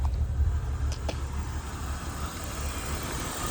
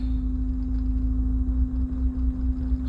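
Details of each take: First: 1997 BMW 328i E36, off the road 7 years: settles into fairly steady idle, even exhaust note, no smoke; right exhaust side seems lower compression; normal idle, running. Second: 1997 BMW 328i E36 with crank and MAF codes, after cleaning the MAF: lumpy uneven idle with irregular dips, hesitating, misfiring, dies on throttle; misfire from faulty MAF sensor.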